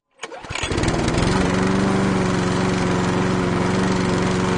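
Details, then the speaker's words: B-swapped Honda Civic EK before a custom exhaust build, old exhaust full of holes: engine catches and settles into a loud raspy idle with a blatty popping edge from the leaking exhaust. "obviously doing some exhaust work because the exhaust in this car was so full of holes it just it wasn't working properly and it sounded horrible"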